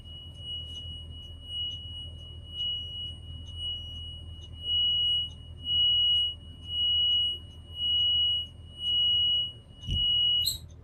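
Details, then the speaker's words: Old school bus number 12 with air brakes, during pre-trip with master switch and lights on: shrill steady beep pulsing about once a second; alarm for open rear emergency exit. "That alarm you're hearing is I got the rear emergency exit open, so I got to close that."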